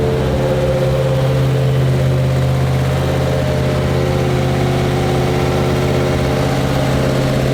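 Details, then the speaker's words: Freshly built mild 340 V8 with electric water pump: a smooth, even low rumble settling at idle with no ticking or knocking. Healthy idle. "I'm not gonna make a fool pool because I made a few tests on this one so I'm just gonna start it so you guys can hear the idol there it is"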